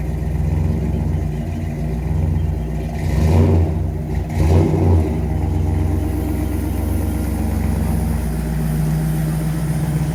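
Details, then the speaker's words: Engine after fixing a distributor problem, earlier cold-start squeal/whine: smooth drone rising cleanly through brief throttle blips; transmission shifts well; normal running. "everything seems to run good transmission shifted well motor sounds good"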